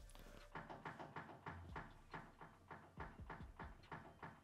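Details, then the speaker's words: 5-speed Honda Accord, steering wheel shaken back and forth by hand: quiet, uneven clunks about three a second from the steering linkage; owner suspects a tie rod or the steering rack, not confirmed. "i'm gonna go shake the steering wheel back and forth and from this side is where you hear the like oh it sounds like the tie rod or"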